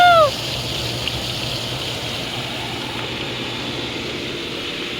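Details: Used hot tub after freeze-cracked piping repaired and refilled: steady even water rush with smooth pump hum, no surging or rattling; pump and jets running normally.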